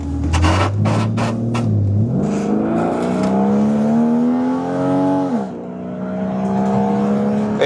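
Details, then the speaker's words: BMW E36 at full throttle with transmission light on, apparently in transmission limp mode (throwing throttle position sensor codes): slow climb with shifts around 2 and 5 seconds, one at 6,000 rpm then next at 4,500, little pull; sluggish. "it's slow, but again, it works. So, it is definitely like in like a limp mode."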